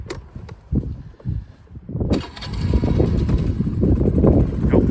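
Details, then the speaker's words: Honda SCV100 Lead scooter restarted after a hill climb, hot; settles to a fast, steady tickover with a busy putter. Idle is set high because of a slight CV carb fault, since lower it cuts out when hot. "It's got a high tick over because there's a very slight problem with the CV carb. If I turn it any lower, she cuts out when she's hot, so she'll restart again, not a problem."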